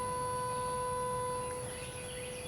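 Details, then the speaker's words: 2011 Range Rover bought from auction, ignition off, during a check of relays and fuses for electrical issues. A steady, fixed-pitch electrical hum with a thin whine persists; something stays powered, possibly a module not sleeping. "Still have that humming noise. I don't know if you can hear it."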